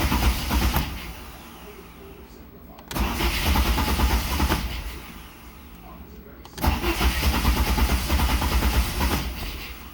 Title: Jet size 1.0 mm 50 deg - No Start!